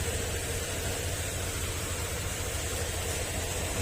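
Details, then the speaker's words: Honda Click 125 scooter after rebuild of blown engine (broken crankcase, parts replaced): steady even low putter with no knocking or rattle; engine now runs quiet, healthy idle. "Ayan, maandar na. Tahimik na yung makina nito mga sir."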